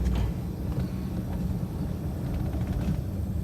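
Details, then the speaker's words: 1966 Oldsmobile Ninety-Eight V8 with a dieseling-at-shutoff issue, after lowering the carburetor idle speed and adjusting mixture, timing spot on: settled even low rumble, no stumble, surging or run-on, docile rpm instead of screaming; normal idle. "Did some idle speed and mixture adjustments. She seems way happier. Very docile on the RPM. At idle. Not screaming like she was before."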